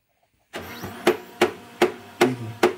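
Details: Brother DCP-1510 laser printer: starts up, then clunks sharply about two and a half times a second while running; cause not confirmed.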